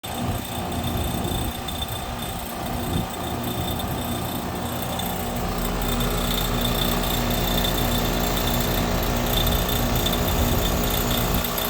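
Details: Goodman 5-ton heat pump outdoor unit hums with a light rattling click about three a second. The owner suspects the compressor; it's not the fan, and debris and loose screws were already checked. Cause unknown.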